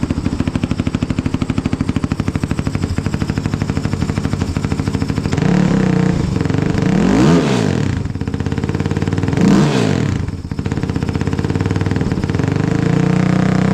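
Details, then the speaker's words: Kawasaki KFX450R ATV after a Dynojet tuner install: fires right up and settles into an even single-cylinder thump with two clean throttle blips; normal start and idle. "Make sure she fires up good. Well, oh. There it goes. Okay. Fire right up."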